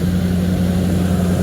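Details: 1979 Ford Thunderbird after fuel system rebuild (new fuel pump, filter, rubber lines, sending unit), running on its own: steady, even low idle with no misses, knocks or ticks; sounds healthy. Smoke is only spilled oil from an oil change burning off.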